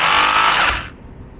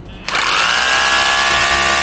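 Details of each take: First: Cordless rotary hammer, partly reassembled with brushes fitted, test run: high buzzing whine with a rough rattle near the trigger button, then spins down; hammer action works. Misalignment inside is suspected, not confirmed. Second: Used Makita 18 V cordless rotary hammer, after brush contact cleaning, switched to hammer mode: two strong bursts of motor whine with rapid pounding rattle, each cutting cleanly; hammer action strong and healthy.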